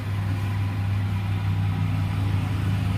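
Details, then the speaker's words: Vediam wet grinder after bearing change, motor run directly: even low hum holding steady without rattling or knocking, faster and silent where it rattled before; normal running. "டேரெக்டாக போட்டிங்கன்னா பாருங்கள், உங்களோட கொஞ்சம் வேகமாக ஓடுது, sound இல்லாமல் ஓடுது."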